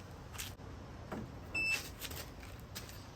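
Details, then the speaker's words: DeWALT DXAEPS14 jump starter power station clamped to a Jeep battery, positive first: one short clean beep then quiet, with flashing engine-and-clamps display, signalling it is ready to jump-start. "you hear that beep and then it shows you a flashing engine and two clamps and that means it's ready to go"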